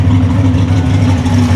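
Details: Mustang with a new Demon carburetor, running again: steady, even low rumble with no knocks, misses or surging; smooth, healthy idle.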